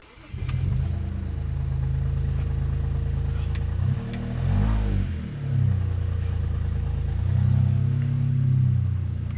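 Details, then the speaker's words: BMW 335i after replacing MSD80 DME MOSFETs for 30BB fault: uneven lumpy idle sagging and surging, still misfiring on cylinders 4, 5 and 6. "let's start it up all right it's definitely definitely still misfiring"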